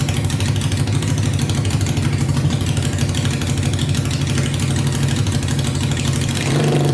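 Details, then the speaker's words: Tractor swapped with a 500cc Honda engine, first start on fresh gas after a carb clean and wiring fixes, spark on all 4 plugs, no coolant yet: loud, deep, steady idle with an even firing beat, no misses or knocks; runs smooth. "But man, that thing is loud. My whole body is just rumbling right now. It's just shaking. It's like you can feel it just vibrate your whole body. Sounds really good. Idles perfectly."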